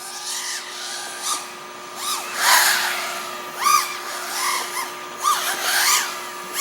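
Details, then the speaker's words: OxFPV Acrolite 230 quad with T-Motor F40II Pro motors, Betaflight 35A ESCs and F4 controller during PID tuning: motor whine surges and dips with a wobble in corners, mild propwash oscillation; pilot suspects D gain, lowers P gains. "sounds like I am having some oscillations in corners like this where I'm sort of sliding backwards from the propwash they're definitely not bad"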